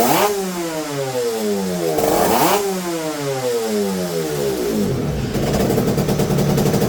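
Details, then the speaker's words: Yamaha TZR250 two-stroke running on petrol while being mapped, tuned by ear: ringing engine blips up and falls back cleanly twice, then settles to a crackly idle; good throttle response, normal running. "And it seems like it starts to behave quite good. I'll start it again and you'll hear it."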